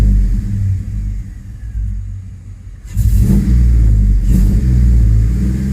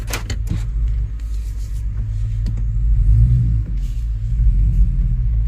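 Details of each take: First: 2005 Chevrolet Tahoe 5.3L 4x4 with stalling and crank-no-start history and a new fuel pump. Giving throttle in reverse under load, the V8 rumble turns choppy and stumbling as headlights dim; misfire from a dropping crankshaft position signal. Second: 2005 Chevrolet Tahoe 5.3L 4x4 with new fuel pump, previously rough running, stalling and P0174 lean, after repair and two hours running: deep, steady, even idle with no stumble or misfire, running like new.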